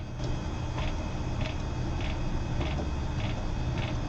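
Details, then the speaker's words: 360 Systems Instant Replay audio sound board, mid-1990s, with its original SCSI hard drive: light regular seek ticks on every button press over a low hum; owner suspects the drive is about to die. "Every button press has hard drive sounds, like it's going all over the place, all over the hard drive to find sounds. Probably not the best thing. It's probably about to die."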